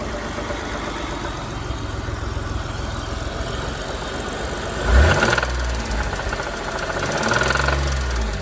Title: Mitsubishi GTO with rod knock